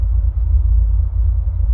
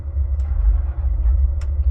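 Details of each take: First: 2005 Ford F150 cold start before driving to the gas station; check engine light only from a catalytic converter due for replacement: deep steady low rumble at an even idle with no misses or knocks, normal cold idle. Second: 2005 Ford F150 restarted warm right after a 5-gallon fill-up, stalling; gas pumped to raise rpm until it stabilizes: lumpy low rumble surging with throttle blips, struggling to settle, rich stumble from a stuck-open EVAP purge valve.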